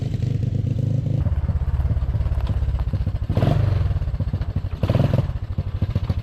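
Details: Four-wheeler engine and drivetrain swapped into a golf cart, run with the choke accidentally left out: lumpy, uneven running with irregular pulsing and rev surges. Rough running with choke on; fine once corrected.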